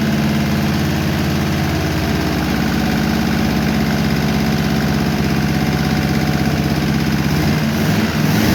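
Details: 1951 Chevy engine idling after a second minor valve adjustment, slightly cooled beforehand: faint tick about three per second over steady idle, much quieter than before; minor valve tick, owner can live with it, letting it run.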